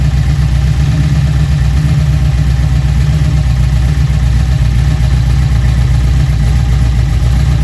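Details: Junkyard LM4 aluminum 5.3 LS V8 on a stand, now with a Tick Performance Street Heat Stage 2 cam (229/235, 111+2, +10° overlap vs stock -37°). Loud, steady idle sitting a little high with a faint lope; runs evenly. Normal.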